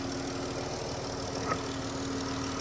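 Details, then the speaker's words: 2014 Dodge Charger Pursuit V6 ex-police car: quiet, steady idle with a light, even injector tick and no knocks or misses; engine runs healthy. "But you can hear the engine works fine. You can hear the injectors going, doing what they have to do, but definitely happy with how this engine sounds."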